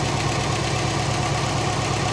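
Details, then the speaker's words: Late-'90s (1996) GMC/Chevy K3500 hit by lightning, straight-piped and running on stale gas: steady, even idle with faint injector ticking but no knock. Runs smoothly. "otherwise it seems to run smooth here runs really smooth I mean it Run's better than that other truck"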